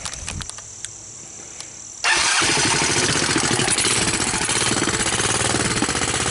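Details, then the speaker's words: Honda TRX200SX single-cylinder ATV with fresh battery, choke on: quick crank, then catches and settles into a steady idle of about four beats a second; voltage rises from 12.7 to 14 V, battery charging, normal start and idle. "So you can see 14 volts. So my battery's charging. It's idling."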